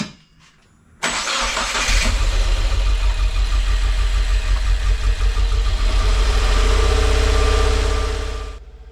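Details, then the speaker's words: 2016 Subaru WRX auction car with new short block, nearly cold start after freeing a stuck TGV actuator and reseating an oxygen sensor: cranks and catches within a second, settles to even idle with brief rise; sounds better, much less smoke. "the car sounded better and the smoke had drastically improved, and that was nearly a cold start."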